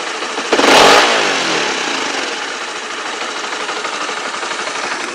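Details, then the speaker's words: Motorcycle after its year-long klotok-klotok noise was fixed: sharp throttle blip then clean even settle back to idle, no rattle or knock; normal revving. "suaranya normal. Jadi seperti itu. Sudah teratasi suara mesin kelotok-kelotok."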